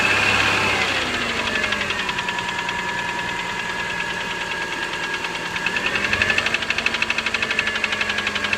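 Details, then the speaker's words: 2003 Subaru Forester XS, about 25,000 miles, cold start: sharp rapid ticking about four per second over idle, shifting with throttle, loudest at left cylinder head, fades when warm; owner suspects piston slap; cold start ticking. "it is starting to make a loud ticking or pinging sound on cold starts so here's a sample video"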